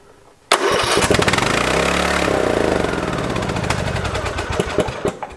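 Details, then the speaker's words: Free lawn tractor after refilling with 90-octane ethanol-free gas and checking the fuel shutoff solenoid: catches at once and screams flat out very loudly, never idling down, like a runaway diesel, with a possible exhaust manifold leak; cause unconfirmed. "thing sounds like a runaway diesel oh my gosh the gas really helped so this thing is scary"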